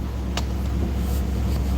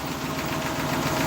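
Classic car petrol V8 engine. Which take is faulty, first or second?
second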